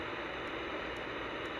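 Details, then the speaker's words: Playback on a new shoebox cassette recorder recorded with its built-in microphone, no record indicator light: only steady, flat tape hiss with no voice or room sound; built-in mic not recording, cause unknown. "So the built-in microphone is not working. Why is that? That is very bizarre, but we recorded it with the other microphone."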